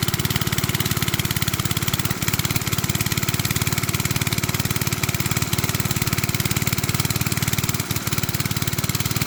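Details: Briggs and Stratton-powered rotavator, thought to be from the 1970s, stood about 4 years unused, started from cold: steady, even single-cylinder beat holding constant speed, no misses or knocks; normal running.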